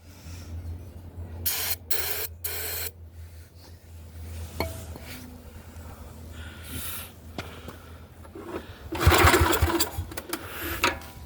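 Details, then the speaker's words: Neglected Yamaha 624 snowblower cranked with choke closed and carb cleaner sprayed in: short bursts of fast rasping cranking that almost catch but never run; crank no start. "See, it almost started. Earlier when I was playing with this, I had it turning over pretty good."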